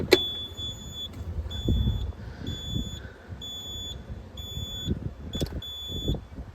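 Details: Caterpillar 226B skid steer. High, steady beep about once a second over a faint idle: a safety interlock warning, likely because the seat bar must be down.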